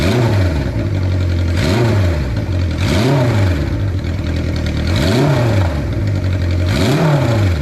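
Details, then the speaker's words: 1976 Honda CB550 Four, 10,409 miles, first start after 34 years: loud four-cylinder blips rising and falling about every 1.5 seconds, revs climb and drop crisply; throttle response immediate and healthy. "Or just leave the choke on a little bit longer. The response on the throttle is immediate."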